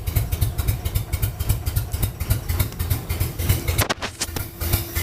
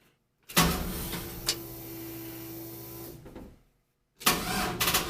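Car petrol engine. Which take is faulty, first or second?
second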